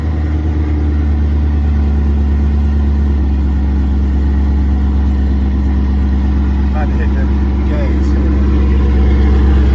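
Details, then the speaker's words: 2022 Chevrolet Camaro SS V8 at idle after exhaust leaks between headers and rear exhaust were fixed (previously smelled fumes): deep even rumble, no ticking or puffing from joints; sounds healthy. "Sound a little better. He said he ain't see no more exhaust leaks or anything."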